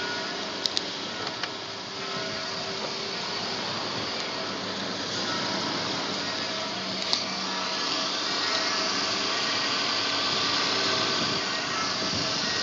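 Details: BMW E46 320i M54 after oil pump replacement: even, steady idle with smooth hiss, no rattle or ticking anymore; normal idle.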